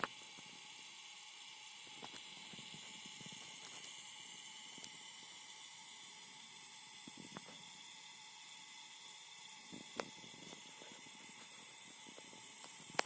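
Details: Phoenix Contact QUINT-PS/1AC/12DC/15 power supply: steady strong high hiss throughout with faint ticks, present with or without load on the output terminals; all four units examined have it.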